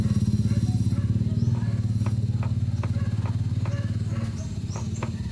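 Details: Ford EcoSport idling in neutral: steady low throb with sharp irregular clunks about once a second; cause unclear.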